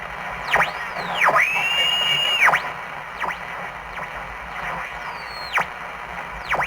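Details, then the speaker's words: 1947 TempleTone tube radio powered up slowly on a variac at about 80–100 volts: hiss and static with sweeping whistles and warbling tones but no clear station; it works but reception is weak and distorted. "well it works but it's pretty sucky it's true"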